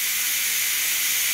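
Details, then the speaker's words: Electric pressure cooker venting after 9 minutes on high pressure cooking chicken soup: loud continuous high hiss of steam, no sputter; normal pressure release that takes a while before the click. "So now comes this noisy part. This will take a while. In a little bit you'll hear a click."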